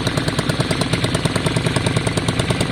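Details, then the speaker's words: 2002 Yamaha Virago V-twin idling after carb cleaning with fresh fuel, both cylinders firing: sharp fast exhaust popping, occasional spit; old coils ruled out, owner suspects CDI. "It does have a little spit here and there, but much better. The old coils are obviously working though, because it's exactly the same. If you don't like that little spit, you can hear it there. If you don't like that little spit, then your options are, it's probably CDI."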